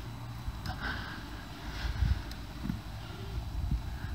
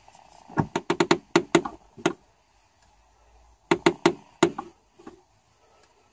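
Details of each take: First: Clutch pedal pressed and released with only soft low thumps and no creak, after the pedal shaft was greased with multi-purpose grease; white grease had failed before. The slave cylinder boot was also greased. Durability is still being monitored. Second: today I'm going to be trying to deal with a creaky clutch pedal so this is the noise that the clutch pedal makes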